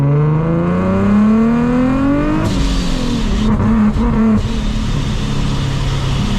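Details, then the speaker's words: Nissan 370Z with Soho A2A cog supercharger kit, belt recently broke: full-throttle pull, revs climb then abruptly collapse into rough noise as power cuts in boost; belt later found shredded again, owner links it to cutting. "it like full throttle, it cuts immediately. It's only on full throttle, it's when it wants to cut, except third gear."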